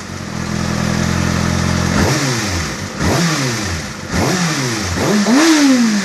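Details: Kawasaki ZX-6R inline-four, fully warmed up, idling then blipped several times: light metallic ticking in the clatter that follows the revs; engine ticking, cause undetermined.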